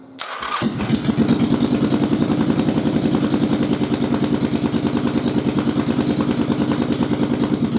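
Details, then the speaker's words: Yamaha XV1000 Virago fitted with the upgraded 2nd-gen XV1100 starter Bendix gear and barrel: a short clean starter spin, then it catches into an even pulsing idle with no grinding; normal crank and start. "Sounds just like normal. Spooled up, fired up, no grinding or anything like that."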